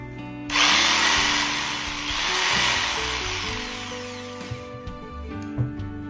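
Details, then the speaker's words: Makita 4327M jigsaw after about 2 years of use, at top speed setting: motor spins up to loud steady high-pitched buzz with no stutter or cutting out; switch and motor healthy. "ternyata tombol sakelar masih berfungsi dengan baik dan tidak rusak sama sekali."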